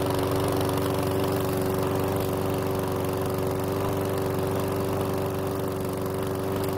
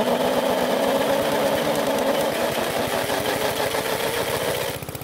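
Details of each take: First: PowerSmart lawn mower that wouldn't start, after replacing old fuel with fresh: steady single-cylinder drone, constant speed, even firing, no surging or misses; oil in muffler burned off; normal running. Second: Worn-out PowerSmart mower engine with low compression, cranked by drill: slow, laboured chugging around three beats a second before fading out; took a lot of turning and was very slow to start.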